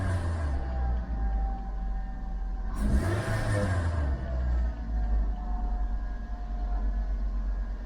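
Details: 2008 Suzuki Swift EZ 1.5 manual, cold, no air filter, after new leads for an intermittent two-cylinder misfire: engine revs up cleanly and settles back with a smooth, even rumble, no stumble or misfire.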